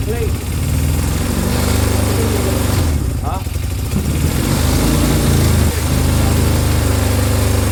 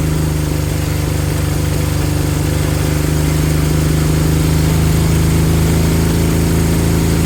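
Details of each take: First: Honda CB200 twin: starts but idles with uneven lumpy beat and occasional stumbles, not settling; rough running, carbs suspected of needing a clean. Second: Honda CB200 twin after cleaning fuel tap, low fuel flow suspected cause of intermittent running: smooth even idle with steady low hum, no stumbling or hunting; idle perhaps set slightly low; engine idles healthy.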